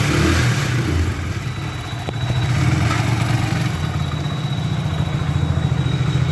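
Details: Hero HF Deluxe BS6 single-cylinder bike with a starting problem, just started after the fuel pipe was refitted and fuel pressure restored: steady, even idle with a soft regular thump, no knocks or misses; normal idle.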